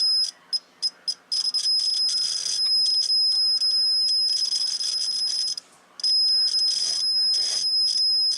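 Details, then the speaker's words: T-match tuner roller inductor continuity test: high buzz keeps dropping out and crackling, sounding scratchy as the roller moves along the coil, showing poor, spotty roller-to-coil contact; intermittent contact on roller inductor. "let's say there's a roller along here and you listen for the buzzing in the mediator and she sounds Scratchy that's where she's got some poor connections going across the length of the coil"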